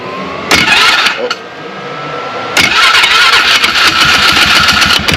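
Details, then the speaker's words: 2009 Polaris Sportsman 500 ATV with the belt cover off. The engine revs hard while the whine climbs only slightly and speed never pulls through; the driven clutch's inner pulley spins and slips because its rub blocks are completely worn off. The fix is replacing the driven clutch and belt. "so I got to went out and was driving it I just left the belt cover off and what it looked like was the outer pulley was jerking this inner pulley looked like it was just it was spinning and slipping"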